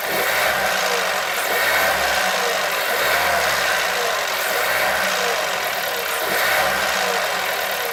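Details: 1.2 TSI engine knock when revs rise and fall: engine blipped about every 1.5 seconds, a knocking tap on each rise and fall over the exhaust note.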